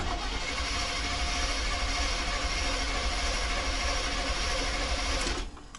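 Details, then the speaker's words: 1990 GMC 350 small-block V8 after engine swap: five seconds of slightly uneven cranking with no catch; cranks but won't start. Fired briefly once; plug wires and firing order checked; owner believes timing is off, cause unconfirmed. "at least the engine cranks and it fired for a second now it won't fire it all it doesn't make any sense"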